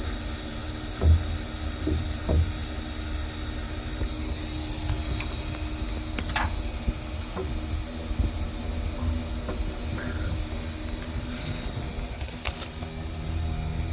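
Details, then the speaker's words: Repaired valve exchanged after a DFJ overshoot, listened to from the cabin floor and with the phone touched to the valve: a steady hiss with low irregular shudders and a few sharp taps. The shudder is traced to that valve. "It's shuttering right now. Yeah, go to the cabin and listen to the cabin floor. Okay, this is still shuttering."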